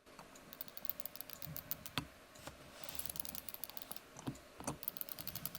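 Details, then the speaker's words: Weber Workshops The Bird coffee brewer handle turned clockwise, giving quick light clicks from its one-way ratchet gear as it lifts the filter; unusually smooth, normal ratchet action. "자, 이 딸그락거리는 소리가 나는 게 라쳇 기어가 들어가 있어서 이런 소리가 나요. 우리가 흔히 라쳇 렌치라고 부르는 걔도 라쳇 기어가 들어가 있거든요."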